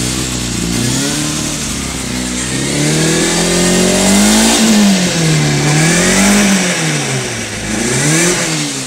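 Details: 2005 Kawasaki Ninja ZX-6R (ZX636) inline-four with damaged aftermarket slip-on exhaust, free revving: crisp revs climbing and dropping smoothly with no knocks or rattles; motor sounds healthy.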